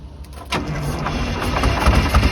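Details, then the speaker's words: 1982 Silver Eagle tour bus, Detroit 6V92 two-stroke diesel, parked 6–10 years: lights off after brief crank into steady throbbing idle, no knock or rattle; oil pressure and air building, normal idle. "well that thing lit off good don't know if we're building any air yeah we're building there pretty quick so it appears everything's operational up here i can't believe she started that good"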